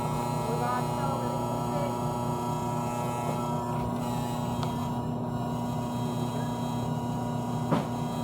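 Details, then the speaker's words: Air conditioner condensing unit, running and cooling: constant low electrical buzz over steady motor hum; pressing down on it stops the noise, releasing brings it back; owner suspects loose front grille/cover or fan motor. "see when i uh when i push it down a little bit the noise stops when i let go of it the noise comes back on again"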